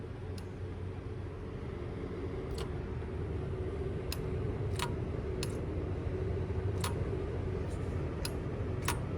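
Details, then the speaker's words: EGR solenoid test with the engine off: grounding the green signal wire, which reads 8.2 volts, switches the EGR on. Sharp, crisp clicks, about eight in nine seconds, over a faint low hum; the solenoid actuates normally. "So you'll be able to hear it and see on the multimeter when we ground this that it will turn the EGR on and change the voltage."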